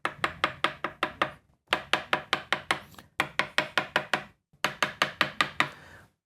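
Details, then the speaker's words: Mid-1970s Greco PB750N P bass (Matsumoku) fret check, tapping from upper frets side to side: four runs of quick, crisp taps each ringing cleanly, no thunks or pitch drops; no lifted frets. "far that's sounding quite good. I'm not hearing any major drops in pitch that would indicate a lifted fret, which is good."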